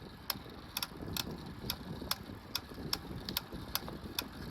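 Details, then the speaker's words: Hybrid bike with rear rack, front suspension and 40 mm tires, fault present over a year: sharp, bright clicks two or three times a second over a soft rumble while pedaling; owner first suspects the bottom bracket. "When you pedal it, it makes a clicking noise."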